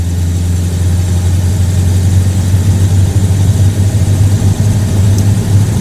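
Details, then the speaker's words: Buick Roadmaster with Stromberg carburetor after accelerator pump repair, driving from a stop sign: deep, even drone builds smoothly with no stumble or bog; normal throttle response. "say that's a carburation accelerator pump win right there"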